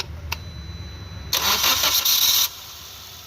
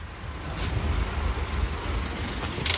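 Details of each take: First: Maruti Suzuki Ertiga petrol, towed in with pickup issue, engine noise and stalling when accelerator released; after timing corrected via cam pulley: short crank catches cleanly into a smooth, steady idle that settles slightly higher; sounds perfect now. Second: Maruti Suzuki Ertiga petrol with engine timing problem, towed in, check engine light on: at idle heavy vibration, lots of missing, raspy "khar khar" engine noise; lumpy uneven idle, stalls when accelerator released; misfire from timing problem.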